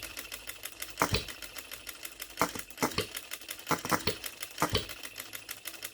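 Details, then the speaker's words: OKMO Retrol B02 miniature petrol hit-and-miss engine, first start out of the box with no adjustments, on 25:1 shellite with Marvel Mystery Oil: sharp evenly spaced firing pops with light ticking coasting between; normal healthy hit-and-miss running. "Listen to that hit and missing. I'm so pleased with this. Look at that running. It's not dancing around."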